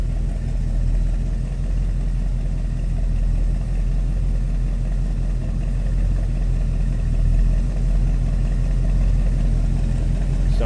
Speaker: A little rumble coming out of that big block 454.